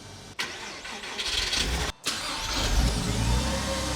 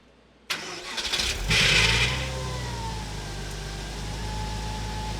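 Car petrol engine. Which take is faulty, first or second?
second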